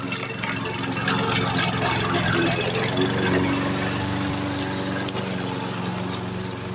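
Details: Repaired roadside-found Troy-Bilt variable speed push mower while mowing: steady even single-cylinder drone holding constant speed under cutting load, no misses or surging; normal running.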